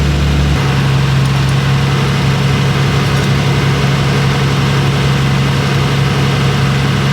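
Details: Nissan Skyline R34 warming up after OEM coil packs were fitted to fix a misfire. Smooth, even petrol idle with a steady low hum and no stumble: normal idle.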